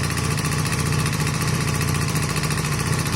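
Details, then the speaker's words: Honda CB250 Nighthawk cafe racer after piston, cylinder and valve stem seal rebuild, first runs: steady idle with light, quick ticking on top; valves a little loud from loose clearance, head to come off to readjust them. "But you can hear there that the valves are a little bit loud."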